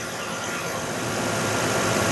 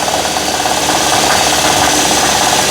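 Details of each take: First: 2012 Nissan Murano after replacing a wobbling, leaking AC compressor: with AC on, even hiss and engine hum, no wobble, rattle or bearing growl. Low side about 38, high side 145; compressor engages quietly. Normal. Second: 2012 Nissan Murano at fast idle, microphone near the wobbling bottom AC compressor pulley: loud whirring rattle with steady mid-pitched whine pulsing about three times a second; failing AC compressor hub bearing, compressor also leaking; compressor replaced.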